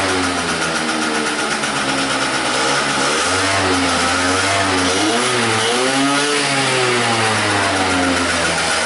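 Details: 2009 50cc two-stroke scooter, no-start/lean diagnosis: engine hunts up and down and wavers unevenly, about to die after roughly a minute of running; lean mixture suspected.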